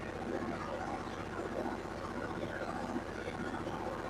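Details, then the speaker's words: Yanmar 15 kW diesel generator set with just under 800 hours, just fired up and to be run about half an hour to reach temperature: a steady, even diesel drone with a fine regular beat, no knocks or misses. Running smoothly and healthy. "Okay, so we got it fired up. I'm going to let it run for about a half hour. uh get it up to temperature, make sure it's doing what it's supposed to be doing, running where it's supposed to be running."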